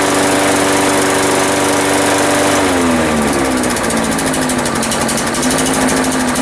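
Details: New replacement 190cc engine (swapped in for the original Briggs) on a Sensation Commercial mower, first start after adding 20 oz oil and gas and priming: fires straight up, revs then settles into a smooth, even hum with steady pitch; normal running.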